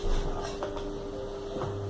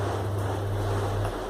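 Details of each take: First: Split air-conditioner blower wheel after balancing on a test stand, at maximum speed: smooth, even hum with no wobble or thumping; previously noisy and shaking; normal running. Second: Split air conditioner blower wheel (turbina) spun on a balancing jig by its small motor on 220 V with a 2.5 µF capacitor: low, steady droning hum with a shaky rumble. Wheel trembles before balancing.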